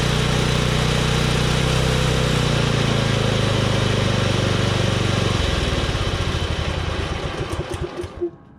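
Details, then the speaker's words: Husqvarna Z246 zero-turn single-cylinder engine after governor and linkage adjustment with a new spring. It runs steady, then drops speed and fades under cutting load. Throttle response is better and it revs higher at full throttle with no load, but it still lacks full power. "Still doesn't seem to have full power when I'm cutting, but it will run higher when I just go to full throttle without any load on it."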